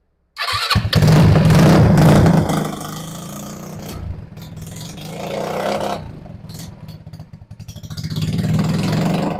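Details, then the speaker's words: RPS 150cc sport ATV, non-running, just refitted carburetor, first start: catches, revs briefly, then sags and hunts unevenly at idle; mechanic suspects too little fuel at idle and opens the idle screw. "H I think we need more fuel at idle maybe so so let's open up that idle screw a little bit"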